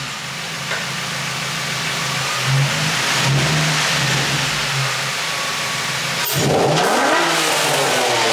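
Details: Infiniti G35 drift car, first start of its new low-mileage engine, with high-flow cats and a Godspeed exhaust. Catches into a loud, raspy idle, then blips up and down cleanly with no misfire or rattle. Normal start and revving.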